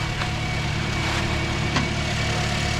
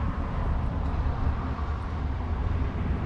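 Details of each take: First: 2010 Toyota Corolla, a crank-no-start diagnosed as a defective fuel pump by pressure gauge test, after the pump was replaced: smooth, even four-cylinder idle with no misses, knocks or surging; normal idle. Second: 2010 Toyota Corolla, crank no start: starter cranks steadily at about four beats a second but the engine never catches; fuel pressure gauge test confirmed a defective fuel pump.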